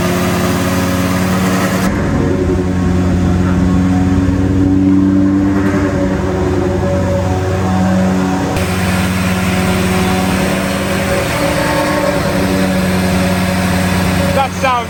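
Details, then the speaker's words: BMW M3 with V10 swap, new 10-into-1 headers and custom 5-exit exhaust, freshly re-cored radiator: fast steady idle around 2,200 rpm with a buzzy rattle on top; high idle possibly because the idle isn't set up yet, unconfirmed. "it was idling at 2,200 RPM for some reason which might just be because we haven't got the idle setup"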